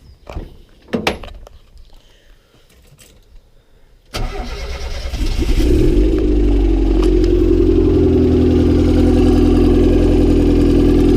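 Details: Honda Civic D16Y7 turbo, cold start the day after spinning a bearing shell: engine settles to fast idle with steady regular knock throughout, no oil light; spun rod bearing.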